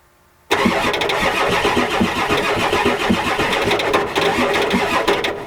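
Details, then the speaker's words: 1993 Ford F-250 7.3L IDI diesel, glow plugs disconnected, fuel present, on ether: steady cranking with churning beat about twice a second, never fires; owner concludes bad/no compression since it should start on ether. "the guys can tell it's got bad compression cuz it should start on either this field there now"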